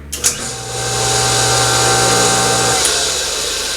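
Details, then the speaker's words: Sand Dollar two-speed pool pump after capacitor replacement (pump had been humming with bad capacitor), switched to high speed: motor spins up and runs with steady whirring hum and faint high whine, normal. "There you go. See that? The pump runs. High speed. See that?"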